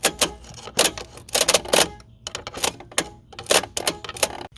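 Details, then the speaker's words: Ranger, rapid uneven bursts of dry clicking with no engine turning over; starter suspected to have quit, not confirmed. "see if you can crank it see if it's got another yeah I think our uh I think our starter is done quit on us now"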